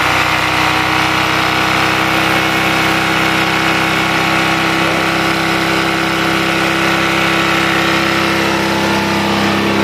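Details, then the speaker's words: Honda Vario 125 ESP scooter whose idle sometimes drops normally and sometimes stays high by itself: steady, fairly high, even idle hum with no dip; unstable high idle. "jadi seperti itu ya kendalanya jadi apa ya kadang-kadang itu gasnya mau lamsam seperti biasa Ya normal seperti itu dan kadang-kadang gasnya itu tinggi sendiri seperti itu"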